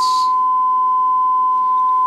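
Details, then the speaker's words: Restored Dynaco Mark III tube amplifier on variac: clean steady high tone holding level with no hum, crackle or dropout; running beautifully nice and quiet. "it'll probably drift up some over time but hey this thing's running beautifully nice and quiet"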